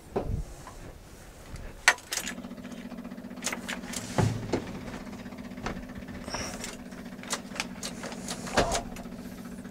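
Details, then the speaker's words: 1981 Jeep J20 4WD with AMC 360 V8 and carburetor, first start after sitting: starter clicks, then the engine catches into a low steady drone with scattered clatter; it has oil pressure but runs rough, with a fuel leak at the carburetor base. "oo hey hey we got oil pressure it runs just not very well"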